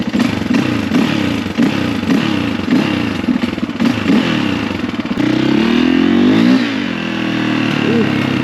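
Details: 2004 KTM 450 EXC single-cylinder on a short ride after new forks fitted, not fully warmed up, long unridden, dead battery: pulls cleanly through gentle rev changes, even firing, no knocks or weird noises; normal running.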